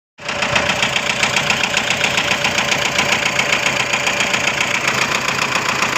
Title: Toyota Innova engine knocking